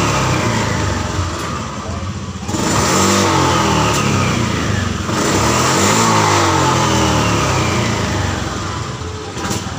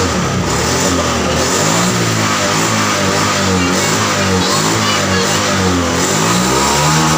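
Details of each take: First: Honda Vario FI scooter: revs climb then falter and stumble at high rpm like fuel starvation; traced to the throttle position sensor, fixed by removing a brass bush from the TPS. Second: Honda Vario FI scooter that sputtered at high rpm, as if starved of fuel, after the TPS sensor was reinstalled and repositioned slightly upward: it pulls to high revs and holds them steadily with no stutter or misfire.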